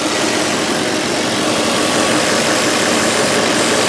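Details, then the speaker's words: 2005 VW Touareg 4.2 V8 with lean fault codes, check engine light and a stiff brake pedal, at idle: a steady airy hiss that doesn't pulse with the engine. A big split in the previously patched brake vacuum hose is leaking vacuum. "dude right here there's a there's a leak right here breakdown right here there's a big split in this house"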